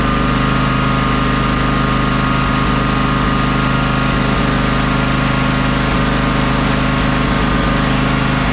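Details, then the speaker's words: John Deere X300 riding mower idling warm after choke and carburetor work: steady hum with brief dips and catches every couple of seconds; suspected fuel contamination needing flushing, or carburetor-to-intake gasket air leak, unconfirmed. "it definitely runs good now runs better now but I still don't like the blips it's getting every now and again"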